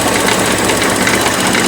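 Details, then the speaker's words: 1984 Porsche 944 running after about 4 years, vacuum lines fixed, not cold: a steady metallic rattle like quarters in a dryer at the front of the engine over the idle; source not yet found, and coolant is not being accepted. "It is not like being cold. We still have the bad rattling going on, which is the next thing we're going to tackle."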